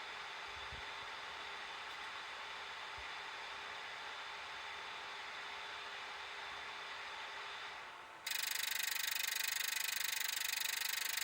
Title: NEC NP-M260WSG clicking noise